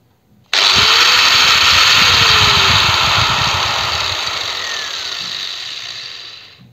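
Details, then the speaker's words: Angle grinder, no load: snaps up almost instantly to a bright even whine, then winds down smoothly over several seconds. Normal run-up and coast-down. "Ну плавный пуск имеется по звуку вроде бы как присутствует плавный пуск потому что плавно набирает и плавно останавливается Ну не совсем плавно тем не менее быстро останавливается"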